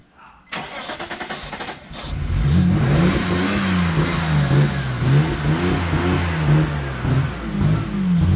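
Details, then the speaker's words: Non-running BMW bought as a project, spark restored after a crank sensor fix: cranks, catches and runs rough and uneven for about 10 seconds on sprayed brake cleaner alone; injectors aren't firing, suspected ground issue, so injector power and pulse are checked next. "Look at that, it ran for like 10 seconds. Woo! We got a run of BMW, boys. It just runs off a brake cleaner."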